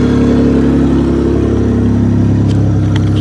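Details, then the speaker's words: Buick LeSabre with no fuel at the feed line earlier (pump suspected bad), now with battery in, relay fitted and pump heard running, cycled a few times to prime the rail: starts and runs with a loud, steady, even note, no ticking or stumbling. "we'll run her a few times to get the fuel up to the rail boom she's a runner how do you like that"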